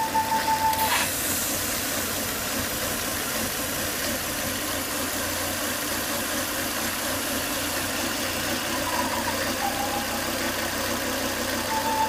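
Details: Volvo S80 2.5T at steady idle with a thin high whistle near 1 kHz coming and going; high intake vacuum sucked air at the oil cap, noise after 10–20 minutes running, fixed by replacing the failed crankcase breather box/filter.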